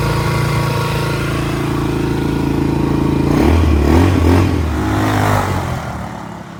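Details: 200cc quad running after fuel-tank cleaning, pinhole welding and a new carburetor: a small single with a steady beat that picks up cleanly on a blip and settles back without stumbling; normal running.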